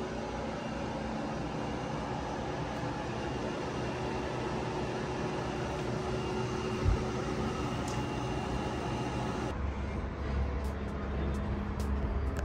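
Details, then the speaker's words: Danby 3-in-1 12,000 BTU portable air conditioner running: constant airy fan roar with faint high-pitched compressor whine, about 65–67 dB right next to the unit, 58–59 dB a couple of steps back. "I use this app to check the noise levels right next to the AC it's hitting about 65 67 DB but just take a couple steps back and it drops down to around 58 uh 59 DB"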